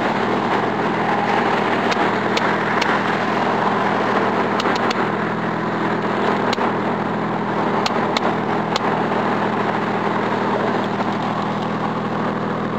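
The idle hum is uneven, with sharp ticks and occasional stumbles at irregular spacing; a rough idle, possibly a misfire.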